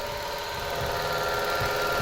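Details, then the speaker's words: Mitsubishi Mirage with only 26,000 km; engine suddenly became noisy while driving. At idle a steady whirring whine rides over the tick-over; probing bearing components points to the alternator as loudest, consistent with a worn alternator bearing. "Saan malakas alternator alternator daw sabi ng kasama ko malakas"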